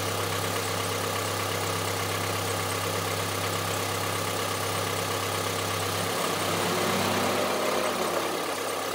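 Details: Honda CR-V III 2.4 engine at steady idle with hard, diesel-like tapping at a constant rate; engine knock at idle of unknown origin.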